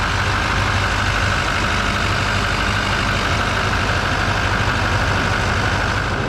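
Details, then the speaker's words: 2021 GMC Denali Duramax diesel, rebuilt truck, cab just reinstalled, first start-up after rebuild; steady even diesel clatter at idle, no misses, knocks or whines; normal healthy idle. "I guess I can throw the headlight and everything else but yeah it sounds really good"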